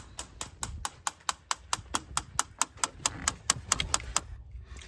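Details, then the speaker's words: 2010 Infiniti QX56 started after PCV valve replacement: sharp even ticking about twice a second behind a quiet engine, intermittent; clicking in dash, owner suspects blend door actuator, unconfirmed. "One day I'll trace down that actuator blend door, but I think I'm going to have to pull the dash off of that one. And I'm just going to live with that sound for now. It doesn't stay on all the time."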